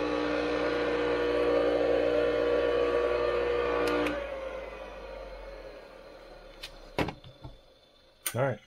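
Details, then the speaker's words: Restored Craftsman 100 50th-anniversary table saw motor, oiled, rewired and cleaned, on its test run: even, steady hum with a clean tone for about four seconds, then power off and a smooth spin-down; the motor runs healthy. "Probably helps if I had that turned off. Sounds good. Looks good."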